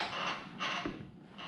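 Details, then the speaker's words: Chevrolet C10/C15 squarebody with LQ9 LS swap, engine off, ignition on after fixing no-start and no-throttle wiring, no codes; short whirring buzzes with each pedal press as the electronic throttle body sweeps its blade normally. "i turn this on you hit the throttle body and now when i press the pedal i've got the pedal out here i press the pedal it should you should hear it moving"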